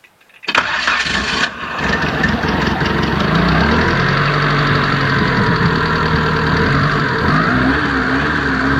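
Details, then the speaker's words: 20-year-old Mitsubishi Lancer 1.8 petrol automatic, cold start after about 6 months parked with fresh petrol added: catches on the first crank and settles into a smooth, steady idle with no stumbling; healthy start. "ನೋಡಿದ್ರಲ್ಲ, ಒಂದೇ ಸತಿ ಗಾನಾಗ್ಬಿಡ್ತು. ಅದಕ್ಕೆ actually ಹೇಳ್ಬೇಕಾದ್ರೆ Mitsubishi ಇಂಜಿನ್ಗಳೆಲ್ಲ super ಅಂತ ಹೇಳೋದು."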